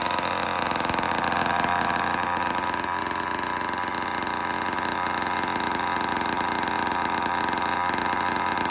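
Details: Vintage Homelite Super XL-12 two-stroke chainsaw, run after sitting a while: it holds a steady high-pitched buzz with an even, unbroken beat, running smooth and healthy.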